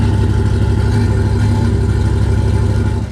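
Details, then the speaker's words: GM 5.3 V8 truck with P0300 misfire code: deep idle with uneven, lumpy pulse about three beats a second, louder than before because one cylinder is not working; misfire, and it smells terrible. "it sounds a little bit more the house it used to sound a little bit Kemp but now you could hear it more because that's because one cylinder is not working so yeah that's a misfire"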